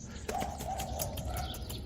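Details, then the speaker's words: Bicycle chain with dip-applied paraffin wax lube after a ride through rain, mud and water: fast light clicking with a thin squeak from the rollers as the chain turns; the lubricant has dried out. "Olha o barulhinho se a corrente estiver bem lubrificada a gente não ouve esse barulhinho aqui dos roletes"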